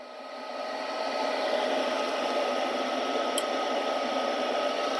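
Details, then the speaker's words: Lennox 95G2UHO70BV12-09 furnace with the gas turned off manually: steady fan whir, the igniter glows, then one sharp gas valve click, but no burner whoosh follows; no ignition without gas supply. "So now, what happened is I turned the gas off, right? Why I did that? Because I want you to know exactly what happened when tenants don't pay their bills."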